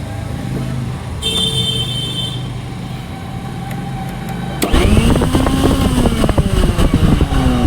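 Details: Philips mixer grinder after repair; it had been making a lot of noise inside before. The motor spins up to a steady, even high whine with no rattle or grinding. Normal running after the fix.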